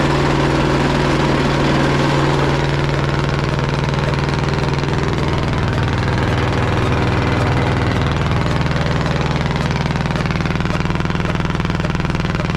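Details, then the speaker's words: Caterpillar D8 2U crawler main diesel running in its revival after the pony motor was sorted; steady, deep, even beat around four per second, no knocks or misses. The motor sounds fantastic. Normal running. "Oh well, at least we know it goes. And the motor sounds fantastic."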